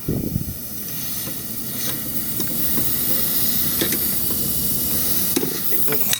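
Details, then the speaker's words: Dodge Demon nitrous install, engine off, purging the system: continuous hissing rush with sharp clicks as gas leaks at the inlet fitting to the nitrous solenoid. "It's the input to the solenoid. Oh, we got a leak! Holy shit."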